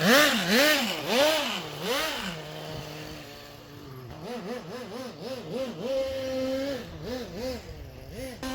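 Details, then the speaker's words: Original HPI Nitro MT RC truck, first run in probably 20 years, carburetor settings untouched: high buzzing engine revving up and down about twice a second, slightly soft and burbly at top; running a little rich. "so without touching any of the settings it's a little rich but on a car this old I would rather run it a little rich and have some protection there"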